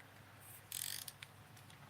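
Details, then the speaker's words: Micro Monster baitcasting reel, 7:1 gear ratio, new out of the package; handle turn gives soft, even fine gear clicking with no grinding or catching; feels very smooth, no issues, though bearings described as just okay. "so no issues with this one and it's a seven to one feels very smooth right out of the package very good feels like a very good reel"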